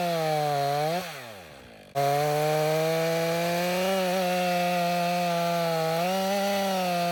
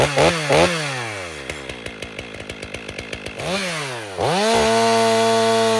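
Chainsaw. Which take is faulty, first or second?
second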